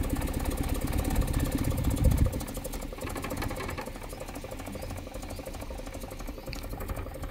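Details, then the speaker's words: Petrol engine idling roughly with uneven stumbling beat and odd exhaust tone, slight misfire at idle, before compression test. "has a bit of misfire. And even you can hear how the exhaust tone is like."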